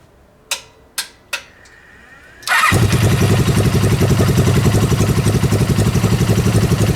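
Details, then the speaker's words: Suzuki GS500 dune buggy engine after a hole where air may have been rushing in was plugged. It starts and settles into a steady, even idle, and ran strong for ten minutes without dying: normal idle. "so yeah I think it fixed it I'm not entirely sure I still need to do I need to write it up the road a little bit but it seemed to be running really strong and didn't die"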